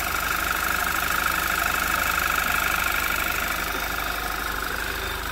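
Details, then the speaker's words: 2011 Audi TT Quattro 2.0T TFSI, first start after engine-damage repair and sitting 1.5 years, slight throttle, no check engine light. Even, smooth idle with a faint high hum from the fuel pump; nothing abnormal. "I think that noise is just the fuel pump. It sounds pretty smooth. I mean, there's nothing abnormal."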